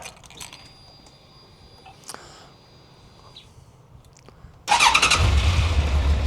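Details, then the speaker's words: Completely standard 2001 Suzuki GSX1400, 2,188 miles, stored 23 years in a garage and last ridden in 2002, first start: catches after a few seconds and settles into a smooth, even multi-cylinder idle, "like a sewing machine". Normal running. "It's like a sewing machine. It's like a sewing machine."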